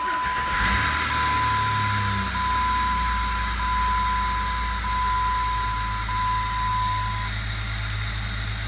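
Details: 2004 Jeep Grand Cherokee Laredo 4x4 (WJ) after replacing the faulty ignition actuator pin, which was the culprit: a short crank, then it catches at once and settles into a steady idle under a chime. No dash warning lights; starts normally.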